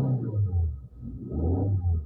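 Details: Beat petrol car with battery and starter OK: deep low cranking rumble drags on a long time before starting; scan found a camshaft position sensor fault causing long cranking.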